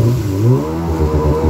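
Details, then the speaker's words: 2000 Yamaha XL800 two-stroke personal watercraft, freshly rebuilt engine (new crank, rods, pistons, rings; Mikuni-rebuilt carbs, new impeller, wear ring, plugs, fuel filter), a little cold, on water: note wavers and sags under throttle, cutting out above 5000 rpm; owner suspects carburetor problems. "i have to ease into the throttle [Music] because if i get over 5000 rpms it wants to cut out"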